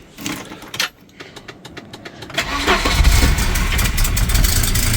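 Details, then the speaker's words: 1987 Volvo 240 GLT, 2.3L Redblock, after an ignition coil replacement and rewiring the coil terminals to fix an intermittent no-start: quick cranking, then it catches first try and idles steadily. A slightly slipping belt is heard. Bonnet closed, raining. "oh bit of a slippy belt sounds good"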